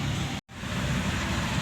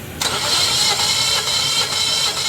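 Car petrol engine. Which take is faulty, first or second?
second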